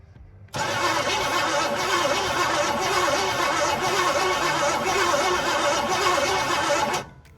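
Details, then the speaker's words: 1981 GMC Sierra half-ton 2WD, auction truck sat in a field for an unknown time, 2-barrel carb, starter wired directly; steady six-second crank with even rhythmic compression chug, no catch; engine not seized, compression sounds healthy. "It's got making some compression. You can hear it. I don't know if you guys can hear it, but it is making compression."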